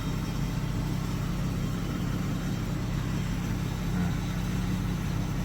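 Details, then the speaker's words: 2015 Ford F350 6.7L Powerstroke diesel, first start after gas was mistakenly put in and the tank and both fuel filters were drained and reprimed: steady low idle with a faint loose rattle of unclear source, but it runs. "Something sounds rattly, but at least it's running."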